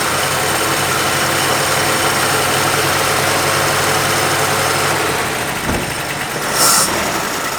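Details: 1950 Plymouth, long sitting, fed gas by pouring, idling at 620 rpm: low idle with an uneven chuff and occasional dropped beats; possibly missing.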